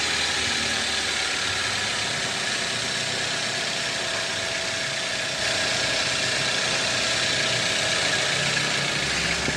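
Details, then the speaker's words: 2010 Toyota Avanza 1.3: steady harsh scraping hiss at idle from the engine front; crankshaft pulley's rubber damper failed so the wobbling pulley rubs the CKP sensor housing; crankshaft pulley rubbing. "dari bawah mesin ini puling gimbal ya dan menyebabkan bunyi bunyi itu berasal dari sini dari puli yang makan ee perumahan dari sensor ckp ya"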